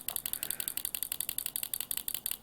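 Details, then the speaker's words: 1960s pulse proportional (simple simul) model radio control actuator flapping normally with fast, even, bright ticking about eleven clicks a second from mechanical stops; rudder stick biases it right, centred it flaps both ways. "Right Rudder biases it over to the right and in the center it's flapping both ways the clicking you can hear is actually mechanical stops very simple very effective they did have limited output power"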